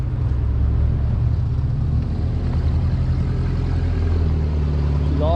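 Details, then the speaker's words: Lowered 1987 Toyota pickup SR5 with headers and a new exhaust, idling; steady low idle with a rough, raspy edge on each pulse, apparently from four holes in the exhaust manifold, which is an exhaust manifold leak. "yeah she's raspy so there's apparently there's four holes on the manifold that we gotta fix but otherwise she's good to go"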